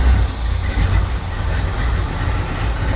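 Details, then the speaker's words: 1969 Plymouth Road Runner V8 parked for decades: deep even burble with steady pulses, no misses or knocks, going straight to a smooth idle. "wow, and straight to an idle. Insane. I just want to let it idle for a little while."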